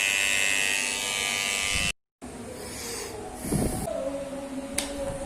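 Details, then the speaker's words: Kemei hair clipper after the noise fix: steady, fast buzz running smoothly without rattling or clatter, some noise remaining but much reduced. "é claro que ele tem barulho né mas a gente tiver aí que o barulho amenizou bastante"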